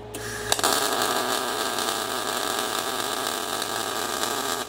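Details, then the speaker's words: Everlast Cyclone 212 MIG welder on carbon steel with inductance turned down from 20 to about 1%: steady, harsh, crisp crackling sizzle for about four seconds. Harsh MIG arc at minimum inductance. "next one is inductance we're at 20 i'm going to turn you down to nothing i'll turn you down to 1.1 or one percent of this one percent"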